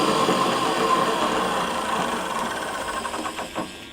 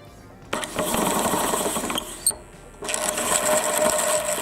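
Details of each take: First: Electric pallet fork truck after repair, with the electromagnetic brake/clutch now engaging: driving in reverse through first, second and third speeds. Smooth, steady motor whine fades evenly with no grinding or knocking, so the drive and clutch work normally. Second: Self-propelled electric pallet fork truck: four ~2 s runs of motor whir with raspy metal-on-metal scrape. The brake hub and spring turn with the drive shaft and a nut catches the mechanism, leaving metal shavings. Possibly worn; half the motor's energy is lost to friction.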